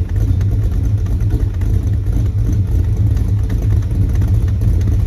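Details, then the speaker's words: 1976 Dodge Dart Swinger with a 340 V8, after correcting the ignition advance setup: a deep, steady, even V8 idle with no misses or knocks; it now runs smoothly and healthy. "this is a good engine wow yeah there's the difference between a grumpy hunk of fairly drivable junk and a sweet running car"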